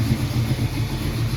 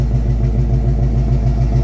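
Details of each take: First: 1968 Mercury Cougar after swap to a new 347 roller V8, transmission reinstalled: idling smoothly with a deep, steady burble, no knocks, ticks or misses after a couple of minutes running; goes into drive, no oil drips from the earlier leak. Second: 1968 Cougar V8 before swap to 347 roller: rough lumpy idle with steady rhythmic clicking, heavy crankcase blow-by smoking from the valve cover like a steam train; engine judged in poor health.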